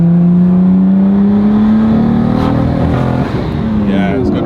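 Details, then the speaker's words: JDM car, first drive after a new turbo; under acceleration the note turns ragged and stumbles with smoke, a constant misfire that is getting worse; owners suspect a coil pack or spark plugs. "it's wireless and then it pops a lot of smoke a constant misfire in it maybe it's yeah it's getting worse maybe it's a coil pack"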